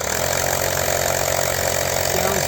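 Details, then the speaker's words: YANTU cordless 12V air compressor started from a car cigarette lighter after its battery died near 35 psi; steady, even buzzing hum with no knocks, rattles or pitch changes, so it runs smooth and healthy. "Yeah, there it goes, fired right up. Let's hear this pump now."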